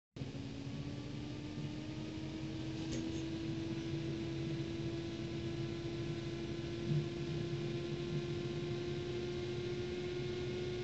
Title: Bruit anormal ventilateur GTX 560ti DCU2